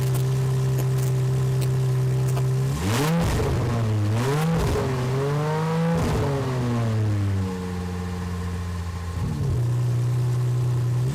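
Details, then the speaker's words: Aston Martin DB7 V12 replacement engine after first start: smooth even idle with clean throttle blips rising and falling freely, no knocks or misses; revs eagerly at light pedal, oil pressure fluctuates normally, no leaks. "Il tourne à la perfection... Et a une tendance à être particulièrement antousiaste à prendre de tours à la moins pression sur la pédale d'accélérateur. Impressionnant."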